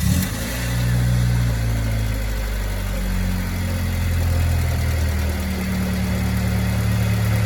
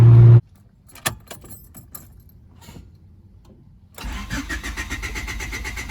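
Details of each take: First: 1995 Honda Civic, coolant temp sensor plug temporarily fixed (pins plugged in) awaiting new plug: steady, even low idle hum with no knocks, stumbles or surges; engine idles smoothly and healthy. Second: 1995 Honda Civic, crank no-start after stalling once warmed up: a few key clicks, then steady cranking that never catches.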